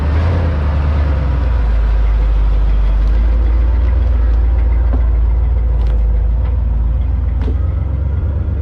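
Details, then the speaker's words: Freshly repaired 1987 Chevrolet C-30 dump truck (14-bolt rear axle rebuilt after G80 locker failure, brakes fixed), back on the road after 15 years sitting: deep, steady petrol V8 rumble, even with no knocks or misses; normal running. "hey you want to go for a ride you want to go for right come on all right let's take this thing for a spin"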